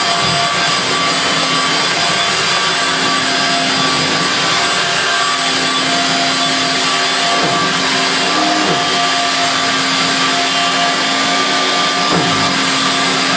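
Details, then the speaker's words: Refurbished Electrolux Twin Turbo Z522 vacuum on carpet after refurbishment: even, steady high-pitched whine, higher than the 500 series, with smooth brushing hiss, no rattles or speed wobble; healthy. "it also sounds more higher pitch than the 500 series"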